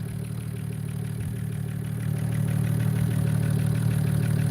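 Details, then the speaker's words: BMW E92 335i just after valve cover gasket, new spark plugs and coil packs, started before warm-up: even steady idle with smooth low thrum, no shaking, misfires or leaks; normal idle. "it's not uh it's not uh uh shaking or anything like that we don't got any misfires we don't got any leaks so far"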